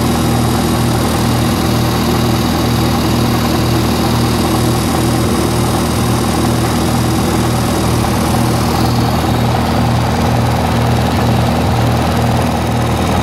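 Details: 1948 Lincoln SA-200 welder engine, revived with little work, now with a short stack with resonator pipe: an even, unbroken low drone with a steady beat and no rattles, ticks or stumbles. Normal, settled idle.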